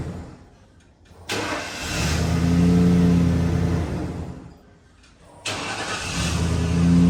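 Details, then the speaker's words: 1995 Ford F150 in a 10-times start-stop test: the engine shuts off, then catches quickly on each crank and settles into a smooth idle, starting normally. "I want you to hop in that truck and want you start it and turn it off about 10 times in a row and then let it run for a minute"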